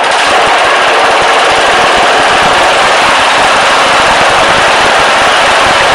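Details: Briggs & Stratton 14.5 OHV single-cylinder engine after replacing the camshaft with a good used one and fitting the correct oil sump; loud, rapid, even rattle and roar at steady speed, firing regularly with no obvious knock or miss.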